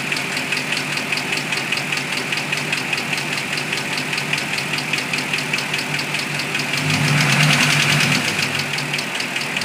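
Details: 2006 Ford Mustang GT V8: steady sharp tick at idle and revving, located by stethoscope on the passenger side; bad camshaft roller follower bearings wore a passenger-side cam lobe almost round; followers, cams and timing parts replaced.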